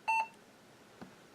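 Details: Mid-1990s FIC LEO 486 GVT-2 486DX2 PC switched on with the CMOS battery removed and a motherboard jumper flipped to clear the BIOS password: one short high-pitched beep, then near silence apart from a faint click. Suspected POST error.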